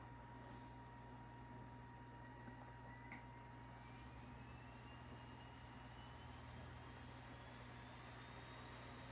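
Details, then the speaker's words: Old Toshiba laptop DVD drive reading a disc while creating recovery discs: smooth whine climbing steadily in pitch as the disc spins up, with no clicking or stalling; reading normally. "It definitely read our DVD that time. There's no excuse. It definitely read our DVD."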